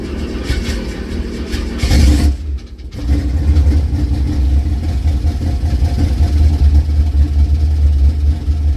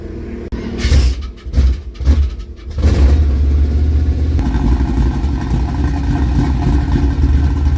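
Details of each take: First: 1976 K5 Blazer that sat 5-8 or more years, oil black and unchanged: a deep strong idle drops out briefly, then picks back up and holds a firm steady rumble. Confirmed runner. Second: 1976 K5 Blazer that sat 5-8 or more years, oil black and unchanged, fuel poured into the carb: a few sputtering catches, then it settles into a steady deep rumble. It runs only on the primed fuel.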